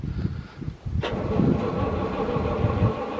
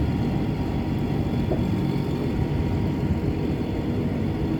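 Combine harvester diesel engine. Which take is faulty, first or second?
first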